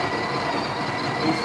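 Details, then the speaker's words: Breville Barista Express built-in grinder after about five years of use: the motor gives an even, strained whir that never picks up speed through an 18 g dose; it sounds underpowered and tired. "he doesn't have the power very tired son"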